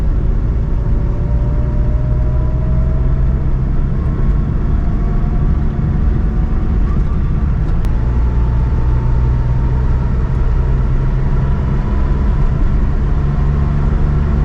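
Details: 2021 Suzuki Alto VXR/VXL 660cc at high rpm on highway around 120 km/h: steady even engine drone under heavy road and wind rumble, no knocks or rattles; healthy engine.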